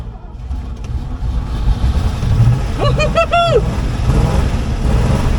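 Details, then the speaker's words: 1970s Chevrolet C-10 Custom V8 sat 30 years, after cleaning clogged carburettor and main jet: catches and settles into a steady low rumble with brief squeak, running evenly; idle set too low, oil cap blown off. "Yeah! This thing's running. See if it will idle. Let's see how easy it starts up."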